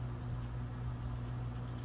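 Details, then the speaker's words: General Electric Standard fan circa 1927, on solid-state speed control edging toward higher speed: steady low motor hum with faint rough rumble as bearings start making noise; owner expects them to quiet with use. "You can really hear the bearings start to make a little noise. I feel like they will quiet down just a little bit as I use it more."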